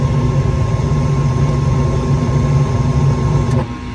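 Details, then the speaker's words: Gas furnace that won't stay lit: the igniter clicks and glows red hot, then a steady low burner roar runs about 3.5 seconds and cuts out abruptly. The flame sensor does not sense the flame; it may retry three times, then lock out. "And now it went out because the flame sensor does not sense a flame. Now it might try that 3 times, and after 3 times it'll lock itself out."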